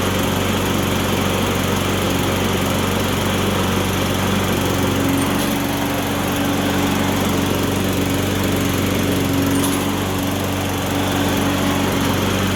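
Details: Electric-start lawn mower after carburetor cleaning: runs at a steady, even speed with a clean buzzy exhaust note, no surging or misfire; starts easier than before; normal running.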